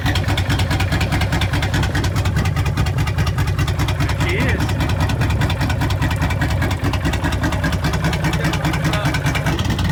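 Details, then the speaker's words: V8 engine on a wrecked deep-sea fishing boat, after $400 of repairs, runs with a deep, steady burble and even firing, no misses or knocks; running smoothly as it should. "All right, guys, so $400 later, and this sucker is finally purring like it should. It runs good, it starts up"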